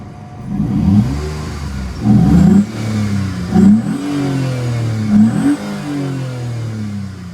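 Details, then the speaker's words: Vauxhall Vectra GSi V6 with low fuel and a leaking power steering pump; smooth idle broken by three or four quick blips, revs climbing and falling cleanly with a deep even exhaust note; normal engine revving. "Oh, that noise is just amazing, isn't it, guys? Amazing."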